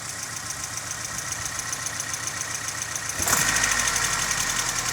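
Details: Opel C18NZ engine with compression of 5-5-11.7-13.5: engine running with a steady rapid knock about three to four times a second, from a head gasket blown between cylinders one and two.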